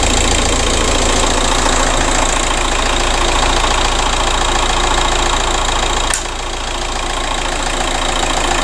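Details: 2007 VW Caddy 1.9 TDI 105hp BLS diesel at warm idle after replacing alternator pulley and auxiliary belt/tensioner that had squealed and lost charging: even clatter about 3.5 beats a second, no squeal or knock; runs perfectly fine.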